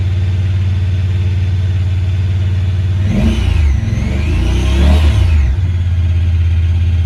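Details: 2017 Honda Pioneer 1000-5 with check engine code 9-2, sometimes won't go into gear. Steady elevated idle drone with a brief rev blip midway. Cause was factory over-crimped wires broken inside the insulation at the IACV plug; plug replaced and recrimped.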